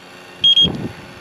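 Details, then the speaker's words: 2010 Honda Fit whose AC lost all its freon: the leak sniffer gives two sharp high beeps at the condenser behind a removed panel, signalling a major refrigerant leak. The cause is a rock dent in the condenser, and a new condenser is on order. "Yeah. See that? That means it's a nasty leak."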